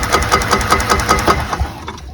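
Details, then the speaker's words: Golf cart engine running with a spark tester in line: crisp regular snaps about five a second across the gap, strong even ignition shown for comparison with the Cub Cadet ZTS2 mower, which lacks such spark. "That's a good spark. We are not getting that on that thing."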